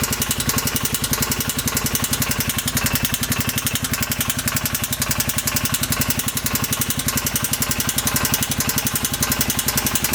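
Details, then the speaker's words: 2015 Polaris Ranger 570 4x4 UTV, after valve clearance adjustment: steady idle with a sharp, even knock and screeching when revved; bottom-end knock, suspected tight crank or rod bearing, unconfirmed. "I was hoping we would get lucky and it would just be a simple valve clearance problem, but unfortunately it's got a bad knock and it's kind of like screeching. It's kind of telling me that a bearing is probably tight."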